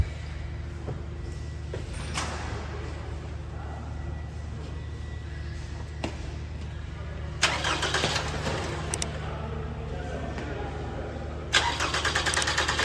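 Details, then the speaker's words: 2014 Toyota Camry with 2AR 2.5L engine, after repairing misfire, shaking and power loss: a slightly long crank, since fuel had drained and there was no pressure. The engine then catches and settles into an even low idle with no vibration or stumble. "हां तो दोस्तों engine हमारा start हो चुका है और पहले starting तो इसकी जहर है इसी तरह हनी थी क्योंकि पीपो में से फ्यूल जो है वो बिल्कुल निकाल चुका था तो प्रेशर नहीं था"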